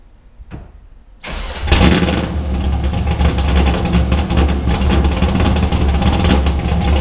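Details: Drift car started after being rebuilt and primed; at its first startup the owner said it didn't sound like it normally does, and it later hesitated pulling away. It cranks briefly, fires, and runs loud with an uneven, wandering beat; rough running.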